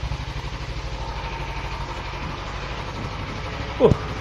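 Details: Suzuki Inazuma 250 motorcycle, owned since 2016, stock except for the mirrors. Steady, even low thrum at idle with a regular beat and no knocks, ticks or rattles: a healthy idle.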